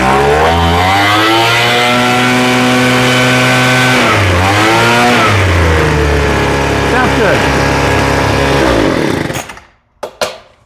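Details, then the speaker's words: Craftsman two-stroke blower after carburetor rebuild (metering diaphragm checked), first cold start on camera: high buzzy note holds steady, dips and recovers cleanly with throttle before shutoff; high-speed needle may need slight tweak but runs well. "Sounds like we could tweak the high end just a little bit. The high end is okay though."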